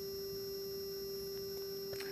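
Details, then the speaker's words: 1996 Mikron TH-5104 thermal imaging camera at switch-on while Peltier cooler cools the bolometer: steady pure hum around 400 Hz from the small X-axis (horizontal) scan mirror; normal warm-up operation. "so I will turn it on here and as you can hear it is humming and specifically it is the small mirror right here this XY mirror that is"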